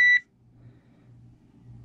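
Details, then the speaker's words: GoldenMate 1000VA/800W LiFePO4 UPS, new, first power-on: one short, clean high-pitched beep at switch-on, then only a faint hum; normal power-up. "get beeps there we go"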